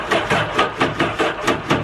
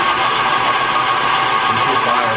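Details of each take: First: 2011 Yamaha WaveRunner VX110 Deluxe jet ski, sitting for years, first start attempt: starter chugs in heavy, dragging, uneven pulses; slow crank, suspected connections; uneven compression also wondered about. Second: 2011 Yamaha WaveRunner VX110 Deluxe jet ski, sitting for years, cranking with spark plugs removed while clearing injectors: fast, even whirring crank, no catches or labouring; rotating evenly, nothing seized.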